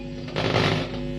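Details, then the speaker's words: Home-built 220 V amplifier with a tone control, running with no input: a loud steady mains hum, which disappeared once the volume was turned down or the input was unplugged; the tone-control output wire had earlier gone to ground instead of the input. "Nggak ada suaranya, dengungnya kenceng banget."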